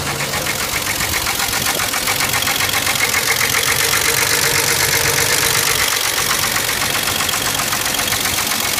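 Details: 1989 Jeep 4.0 Renix engine at idle: a loud, steady, fast knock of about four per second; engine to be replaced.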